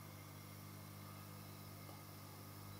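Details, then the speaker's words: Yihua 968 DA+ III soldering and desoldering station, desoldering pump on full power after the resonating parts were removed: a soft, steady low hum with no rattle or vibration; the pump runs quietly and normally. "and that is so much quieter well I've made a bit of a mess it's not been a particularly tidy job inside the machine but that's a win"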